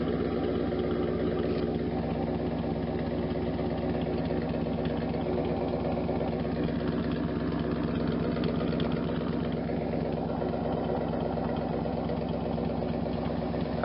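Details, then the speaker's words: 1992 Camaro Z28 with a stock L98 350 V8, rusted stock muffler removed, headers not yet installed: a loud, raspy, open, uneven idle burble running with no muffler. "well after much struggle we got the muffler off inside is horrible I mean it's rust all over and on the inside but let's do a video and see how it sounds without any muffler"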